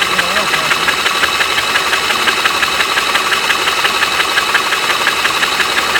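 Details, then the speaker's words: Engine cranked by the starter with spark plugs removed to prelube after an oil change (3 quarts 10W30 synthetic, oversized filter, cold oil), cranking for oil pressure; fast, even churn at about three beats a second, spinning freely with no compression. "since the plugs aren't in it, you can crank it over quite a bit, probably for like a good 15-20 seconds maybe."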